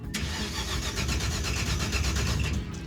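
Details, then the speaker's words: Roadkill redneck limo cranking after distributor, coil and wiring were replaced: starter churns with a steady, even beat but the engine never fires; no spark, suspected to be from two failed ignition boxes. "There's no spark. Dude, this is ridiculous. We just spent all that time changing a distributor, changing the coil, changing every bit of wiring, and it was that we had two ignition boxes that failed."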